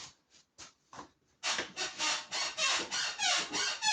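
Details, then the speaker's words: BMW X5 E53 rear suspension: rhythmic dry creaks about three a second, resembling a broken spring though the springs are intact; the cause is the worn rubber rear spring seat pad. "Вот такой скрип. Откуда он появляется? Это узел опоры пружины."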